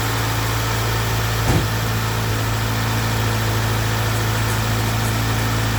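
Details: Integra after head gasket job and cam/rocker arm reassembly: engine settles into an even steady low idle with no knocks, misses or ticks, fluids settled after two minutes; runs smooth and healthy.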